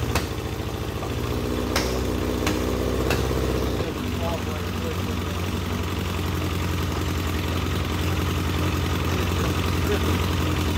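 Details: Legends race car after motor swap, first start-up: engine catches after a few tries into a lumpy, uneven, rich idle; carburetor is flooding badly on a system meant for a two-pound fuel pump, so carburetor must come off.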